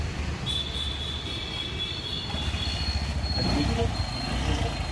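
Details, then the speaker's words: 20-year-old Bajaj Boxer bike, Kawasaki-type engine, flood-damaged with water in tank, after cleaning and fresh petrol: starts first try, small single chugging at steady even idle; normal idle. "బండి ఒక్కే start అయింది, కానీ ఇప్పుడున్న generation మెకానిక్లు ఈ బండి చూస్తే భయపడిపోతారన్నమాట."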